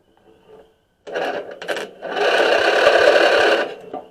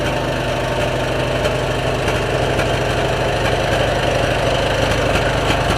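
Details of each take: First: Stanley 46" Murray garden tractor 461008x692A (2003), Briggs & Stratton engine, brake pedal clamped down for the safeties. Short cranking bursts with quick compression pulses, about four a second, never catching. Spark is confirmed at the plug, so the no-start is suspected to be fuel-side. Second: 2003 Stanley 46" garden tractor by Murray, Briggs & Stratton engine with new aftermarket carburetor, air filter and battery: steady, even single-cylinder beat at fast idle with no misses or knocks; running cleanly.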